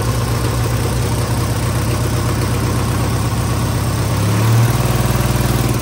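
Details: Tractor engine after 12 months standing, fresh oil, doors open: catches and settles into steady even low idle, no knocks or misses, traffic hum behind; normal idle.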